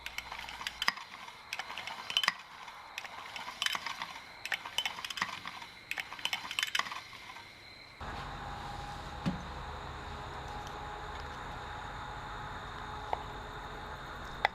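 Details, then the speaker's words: Kohler K141/K161/K181 (6–8 hp) recoil starter after repair with adjusted worn clutch, slow rope pull: irregular light metallic clicks as the small spring occasionally overcomes the clutch and partially closes the fingers; wouldn't happen at normal starting pull speed. Normal. "Once in a while you can hear the spring overcome the clutch and partially close the fingers, but I'm pulling the rope slowly here, and that wouldn't happen if I was pulling the rope like you would be when starting the engine."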